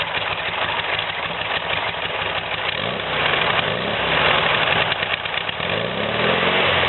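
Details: VW "new" replacement engine, freshly installed, carbs cleaned and plugged jets replaced, still on break-in oil. It idles evenly and steadily with a quick regular pulse through a new quieter exhaust in place of the cone stinger. It starts easily and runs smoother. Normal idle.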